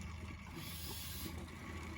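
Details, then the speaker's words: Mityvac 7201 oil extractor changing oil on a 1984 Mercedes-Benz 300SD (W126, OM617 turbodiesel), about 35 minutes in: steady hissing, rasping suck with low hum as the pump now draws air, all reachable oil already extracted. "Basically sucking oil, or not oil, air at this point, into the pump here. It started making that sound right before I started recording a clip."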